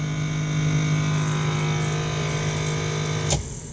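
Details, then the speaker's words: Original low-mileage (41,000 miles) 1969 Dodge Dart 4-door, stored since 1988, engine not started; heater blower fan freshly loosened up runs with a loud, steady low hum at even pitch, then cuts off cleanly: old but healthy blower, normal. "I just loosen up the motor the fan let's see what this sounds like oh yeah who remembers those it's probably why we had to uh keep the radio up a little"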